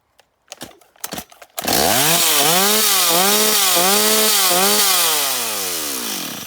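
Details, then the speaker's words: Stihl 026 chainsaw revved through throttle blips, snapping up cleanly but topping out soft and not quite smooth at the end; high-speed mixture slightly rich. "tourne correctement, mais on sent qu'à la fin, ça tourne pas très rond. Elle pourrait encore monter un peu plus dans les tours. C'est-à-dire que là, elle a trop d'essence."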